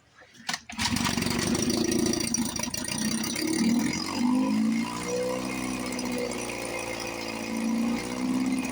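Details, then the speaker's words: 1954 Johnson 5.5HP two-stroke outboard, barn find revived after about 60 years with carburetor rebuilt, running with cover on, fuel bulb hand-pumped, water pump pumping nice, no thermostat. Steady, even buzz with gently wavering pitch, no misses or knocks: normal running. "Sounds sweet. run for a few minutes before I got to pump the bowl again. Water pump's pumping nice."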